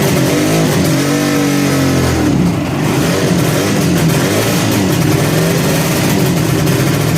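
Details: 1963 Ariel Arrow Super Sports 250cc two-stroke twin, bought as a non-runner, running after the barrels were painted and the engine reassembled. Ringing blips pick up cleanly and settle without stumbling: running healthy.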